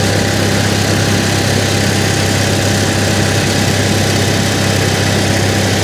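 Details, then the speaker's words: Salvage RV generator: steady loud engine drone with even hum and no change in load; it runs, but the RV gets no power at all; owner wonders if it needs time to build up. Cause unknown. "there's the exhaust for it but for whatever reason like nothing in here works at all nothing that works no we've we've got no power in here at all maybe it takes a while for the generator to build up"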